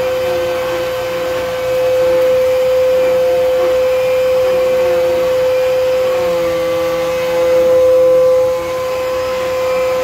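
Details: Old Kenmore vacuum running on floor with brush engaged: loud steady high-pitched whistle over the motor hum, holding pitch throughout; high-pitched whine, cause unknown.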